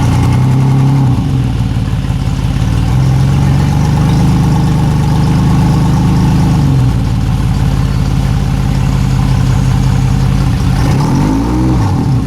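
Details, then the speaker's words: Yamaha outboard on a boat that sat for years, started after gas was poured into the fuel/water separator because the tank would not prime by hand. A smooth, even, low burble with no knocks or misses: normal, quiet idle. "that's a quiet motor"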